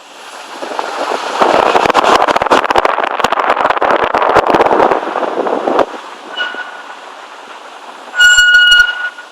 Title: Скрип тормозов м5